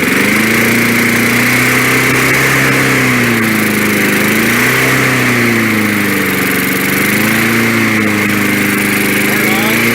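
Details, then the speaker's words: 1965 Briggs & Stratton 82906 3 hp wind-up-start engine, sat for years, on full choke with fuel needle turned out, main jet suspected clogged: steady fast-idle putter, slight speed wander, no knocks, kicks back on compression; runs surprisingly nice. "it even kicks back on compression. That's a great sign. Fuck, I did not expect it to run that nice."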